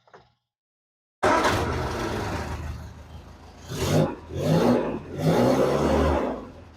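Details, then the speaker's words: Bugeye Sprite idling, then three throttle blips with a replacement muffler temporarily fitted in place of an old one that was nearly a straight pipe: exhaust even, muted and much quieter, no rasp; normal exhaust note. "noticeably quieter so a vast Improvement"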